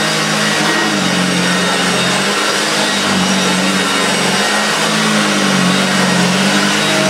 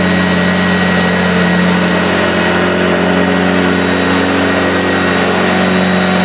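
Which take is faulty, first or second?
first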